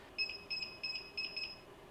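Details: Hikvision DVR beeping every few minutes in shrill rapid bursts with "HDD Error" / hard disk failure, even after the hard disk was just replaced; fault lies inside the DVR, not the drive.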